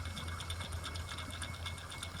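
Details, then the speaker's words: 2007 Ford Focus SE 2.0 with the serpentine belt off, idler pulley spun by hand from above; rapid dry rattling ticks from a rough, gritty bearing that needs replacing alongside the belt tensioner. "Hear all that noise? That tells me it was a good call to go ahead and change that idler pulley while I was doing the tensioner."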